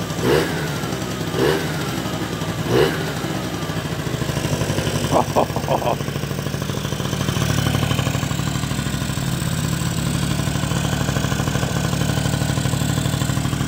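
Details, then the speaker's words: 1986 Honda Vision 50 two-stroke scooter on fresh V-Power fuel after a small idle screw adjustment: a few clatters on starting, then a steady, even tick-over with no misses or hunting; idling normally. "how easy did that start I'm not even kidding you she ticks over just a little adjustment on that screw on the odle"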